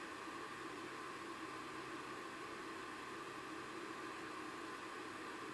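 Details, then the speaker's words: KAM Textbeam 300 RGB laser running indoors: steady even whooshing hiss from its cooling fan, with no tone changes or rattles; the fan is quite loud but runs normally. "That noise you can hear the fan rolling is quite loud, I must admit, and it's probably taken the pleasure away looking at the lights."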